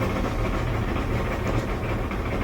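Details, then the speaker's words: Electric (220 V) LG dryer making a bunch of noise while running: continuous low, uneven rumbly sound from the turning drum, no clear knock; usually a worn drum support wheel (four total, front ones most often). "Today we're dealing with a LG dryer that's making a bunch of noise when it's running. Here's the noise. Kind of a rumbly noise. Usually this is due to a worn out support wheel."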